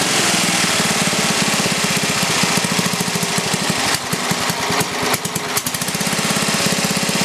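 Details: Briggs & Stratton 11 hp flathead single (model 25), first run after a year idle, cold start at about 60°F after a night in the 30s: quick steady putter, firing evenly with slight unevenness; runs well, burns a little.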